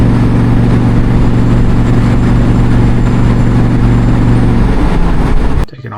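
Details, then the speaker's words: International Scout under mild acceleration from a stop: a loud, low drone with an uneven stumbling pulse, sputtering badly as if fuel-starved, yet the AFR gauge reads slightly rich; owner suspects too much fuel; temperature and other gauges normal. "If you listen closely enough, you can hear that it's it's sputtering really bad. Um, it's like it's not getting enough fuel, but the AFR gauge is actually going a little bit rich."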